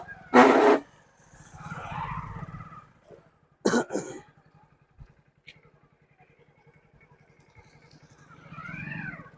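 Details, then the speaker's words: Motorcycle started in the morning, ridden in gear: short high thin squeals from the rear drum brake each time applied, caused by the glazed, slippery drum and shoe surface. "तो वही आवाज कर रही है तो खत्म करने का तरीका मैं आपको बता दे रहा हूं"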